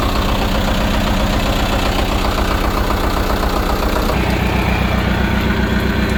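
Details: Sea Ray 240 refitted from Mercruiser gas V8 to Mercruiser Isuzu diesel, first test start with oil full, fuel primed and cooling water on: catches and settles into steady, even diesel clatter, no misses or knocks; normal diesel idle.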